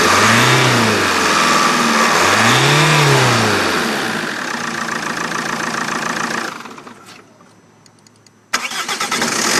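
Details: Vauxhall Vectra 1.9 CDTI that was hard to start, now with a new starter motor fitted: the starter spins, the engine catches and idles evenly, then restarts instantly and settles into a steady idle. Fixed.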